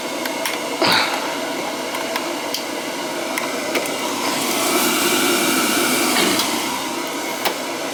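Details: Boiler after a call about a continuously leaking relief valve flooding the basement, now running the second zone: soft rushing hum, light clicks, a brief swell. Running normally.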